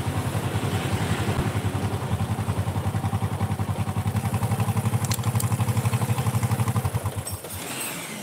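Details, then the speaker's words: Honda Supra motorcycle idling with a coarse, steady "klak klak" clacking from the timing chain; smooth when the chain is pressed tight; timing chain already replaced, same noise with a different chain; play in the crankshaft needle bearing. "Nah, ketika dikembalikan ke mode normal, hasilnya kurang bagus. Klak klak."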